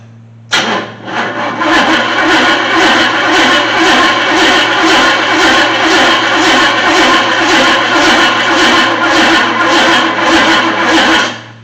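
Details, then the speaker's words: 1979 Chevy C10 engine left sitting 10+ years, no belt: starter turns over with an even, steady beat, each compression stroke alike; normal cranking, fairly even compression. "Alright, well, it cranks pretty good. And it sounds pretty even, like it's got fairly even compression across the cylinders."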